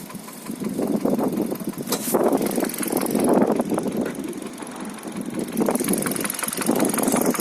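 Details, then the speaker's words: 2013 Hyundai Solaris petrol engine, 140,000 km, after oil starvation: steady light tapping in clusters over idle; engine knock, owner suspects a valve, source unconfirmed. "Клапан какой-то. Было масляное голодание двигателя."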